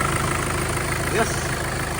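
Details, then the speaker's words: Mitsubishi Pajero Field Master after replacing the timing chain and guide, plus valve guides, seals and an oversize fix for the loose pistons: even low idle, steady rumble, no knocking or chain rattle; runs quietly and smoothly; normal idle. "Right, kaya tahimik na siya mga boss. Kumandar. Okay na siya. Ganda na ng andar niya."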